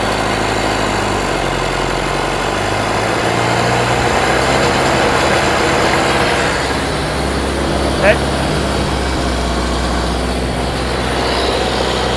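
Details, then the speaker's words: Rebuilt Model T speedster four-cylinder on first start after the radiator was fitted, timing checked and 4 quarts of oil added: slow uneven idle with a stumbling, lopsided beat, sounding like three cylinders; misfire, cause not yet known. "Sounds like 3 cylinders to me. It's got something going on."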